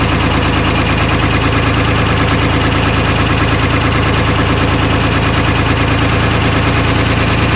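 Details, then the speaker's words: 1975 International Loadstar 1850, Detroit 6V53 two-stroke diesel, first start after fuel-line work, no coolant in it: loud rough idle with uneven stumbling beat about three per second, one cylinder seems to be missing; owner suspects air in fuel or real issue; oil pressure about 65 psi. "she's a runner got a hell of a miss i'm not sure if that's just air in the fuel or if we got like a real issue"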